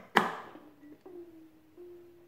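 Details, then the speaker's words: 1924 Radiola AR-812 superheterodyne radio with UV-199 tubes, filament supply around 2.8 V, after cleaning the power control: a sharp tap, then a faint steady high-pitched ring as the tubes warm up; the radio works. "oh we got some sound now and hear the tubes warming up that tinging holy it actually works"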